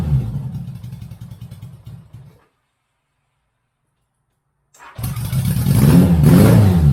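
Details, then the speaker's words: Barn-find 1983 Honda Goldwing GL1100 first start, old gas left in tank topped with fresh gas, new fuel filter, cold before warm-up: idles briefly, cuts out, then fires and revs smoothly with clean rise and fall; running well. "hey guys Shop dogs excited Bentley we excited we got her going yeah hahaha all right so I think that's it for now I'm gonna let her warm up"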